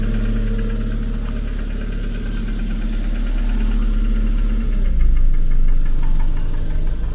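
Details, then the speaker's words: Engine at idle with a light tick three to four times a second. It occurs once per crankshaft revolution, so the owner rules out the connecting rods. The source is still undetermined. "Bon, je fais vite parce que ça ça gicle mais on se rend compte quo que c'est bien chaque tour d' braquin mais pas un tour de le braquin que il y a ce claque. Donc déjà, c'est pas les bies, c'est sûr."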